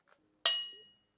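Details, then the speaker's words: Porsche 356 SC non-counterweighted crankshaft suspended on string, hammer-tapped: thin high ring fading within half a second, 2890 Hz versus 1280 Hz for the other crank; sounds dull, should be checked for cracks, cause unconfirmed. "But just there's a huge difference between the way this crank sounds and the other crank. This may not need to be ground, but it it probably should be checked for cracks."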